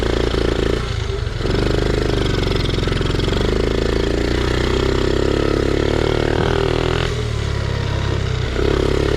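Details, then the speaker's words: Honda Z50R dirt bike, cold, running on choke and not yet warmed up; small single revs up and sags back unevenly, stumbling slightly on the throttle. Still bogging a little. "Still bogging out just a little bit. We're running on choke right now. not warmed up yet."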